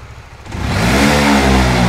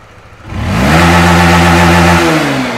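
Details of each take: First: Honda Winner V1 (2015–2018) motorcycle, no error code: idles normally, but on opening the throttle the revs climb slowly and hang flat, bogging heavily; cause found to be a faulty throttle position sensor. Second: Fuel-injected Honda Winner V1 (2015–2018) that had severe throttle hesitation, blamed on a faulty sensor. After repair it revs smoothly to full throttle without stumbling and drops back cleanly; normal full-throttle rev.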